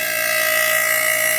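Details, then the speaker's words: PC fans after cleaning: smooth constant whirring hum at steady high pitch, no rattle or grinding; sounds much better than before, running healthy. "That sounds so much better than it did an hour ago. Listen to that. Compared to what it was."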